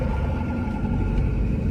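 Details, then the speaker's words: Jeep driven in rain for a bearing grinding complaint: heavy continuous low rumble over road noise while driving, sounding terrible; bearing doubted, later traced on the lift to a notchy drive shaft. "didn't have to drive far oh god that sounds terrible i don't even know if that's a bearing"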